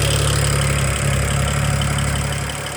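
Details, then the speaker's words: BMW 335i at warm idle, with a charging malfunction warning shown: a light, fairly quick tick about three a second rides over the engine. The owner suspects a misfire; not confirmed. "okay that ticking started and it's freaking me out so I just wanted to send you that video okay um I don't know what it is but it is not nice and it does sound like the misfire that you told me"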